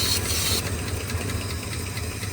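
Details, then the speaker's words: 1971 Ford first running in 27 years, on temporary gas tank, old plugs: uneven lumpy idle with faint hiss early; open vacuum line at back of carburetor needs a plug. "there's a vacuum line open on the back of the carburetor here. I need a plug, but it runs."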